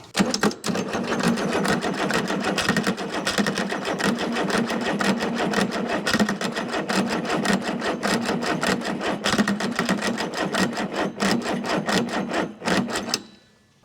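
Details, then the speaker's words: Chrysler diesel (rebranded Mitsubishi 6DS70 marine six), barn-stored for years, no ether, weak old batteries: about thirteen seconds of rapid cranking with occasional bumps but no start; only two of six injectors bled, air in the other lines. "we got these two to bleed the other four not so much but she's bumping off and I haven't been spraying ether in it"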